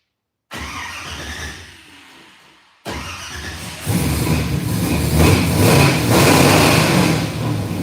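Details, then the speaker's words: 1967 Camaro V8 after fixing earlier rod-knock-like banging noise: cranks, catches, settles and revs up cleanly; smooth even exhaust note, no knocking or rattling; healthy start and rev after repair. "all right there you [Music] go running C right up hear any noises whatsoever and it sounds like a run Str all right I think we got the camarra running and driving"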